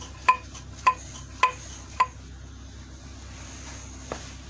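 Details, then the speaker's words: Removed old front strut from a Renault Logan/Sandero/Lada Largus-type car, shaken by hand at the spring: four sharp metallic knocks about half a second apart; worn front strut that knocked over bumps, first suspected ball joint, replaced with a new strut. "вот смотрите сейчас сам приду на астре рую как она стучала слышите вот так она на ямаху мне стучат"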